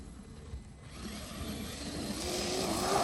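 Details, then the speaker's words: Traxxas X-Maxx with new PR Racing mod 1.5 gears: a rising, ringing "woo" hum builds as the truck speeds up. This is normal meshing whine, louder than Saga Racing gears but probably quieter than WFO gears. "you hear that kind of woo kind of sound? It's definitely a different sound."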